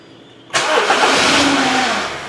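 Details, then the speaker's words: 2012 Honda Civic 1.8 16V flex, first start of day fails; battery rests at 12.6 V but drops to 9.3 V while cranking: short strained crank catches and settles into idle; weak battery with excessive voltage drop. "vocês viram que tá caindo a 9 volts ho é a bateria tá tendo uma queda de tensão ali para os 9 volts ho a 93 e ela tá caindo para 9.3 momento da partida"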